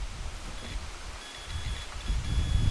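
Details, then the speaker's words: 1969 Oldsmobile Ninety-Eight 455 big block, sat 26 years, charging system test with harness off the firewall regulator: faint thin meter beep over handling noise, continuity from field wire to regulator; wire intact. "if you guys can hear that beeping or not but that means we got continuity from the field wire to our regulator so that wire checks out for continuity"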